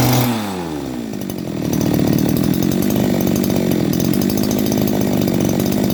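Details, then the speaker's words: Type 411 two-stroke grass trimmer that was hard to start and surged, after a carb clean and a replaced reed valve: after a brief pull-start it settles into a steady, even buzz with no hunting, a stable idle. "เราเปลี่ยนแป้นหลีดเข้าไปก็สตาร์ทเครื่องเดินเบานิ่งเงียบครับ"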